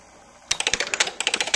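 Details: DUO 14 Premium 2-bit relay computer in fast mode running a repeating copy/go-to program: after a short quiet spell, crisp dry relay clicks in a fast steady patter of about fourteen a second; normal switching.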